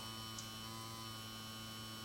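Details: Vibrator power supply of a 1953 Chevrolet push-button tube car radio (model 986668), about 4.5 V in at half an amp, giving about 420 V: constant even buzzing hum at fixed pitch, no stutter or crackle; normal vibrator hum.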